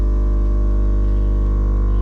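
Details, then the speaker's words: Air suspension compressor on a 1964 Ford Falcon kicking on and filling the tank, which is at about 80 psi; it shuts off at 120. A deep, steady droning hum with no surging or knocking shows normal running. "So, at least now, uh, and the compressor hasn't kicked on yet. I got our switch in there. Bam. You'll hear that compressor kick on here in a minute, I would think. There it is."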